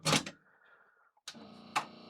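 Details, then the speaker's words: Aiwa AD-WX929 twin auto-reverse cassette deck with a tape inserted: solenoid clicks and a faint motor whir but the tape never moves; the motors spin while the mechanism won't engage, and gooey or stretched drive belts are suspected. "You can just hear the motors spinning, which means nothing's going to work. We'll put a tape in for giggles, but nothing's going to happen."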